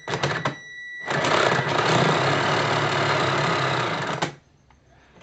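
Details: Tamiya King Tiger 1/16 RC tank, left gearbox: harsh gritty grinding burst about three seconds, chattering roughly four times a second under load; gearbox grinding and slipping, cause unknown.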